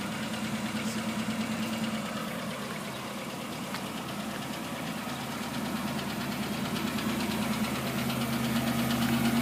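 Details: Stock unmodified 1991 GMC Syclone engine at 103,000 miles idling with a dull knock about three per second deep in the engine; owner unsure whether connecting rod or piston pin, engine later replaced.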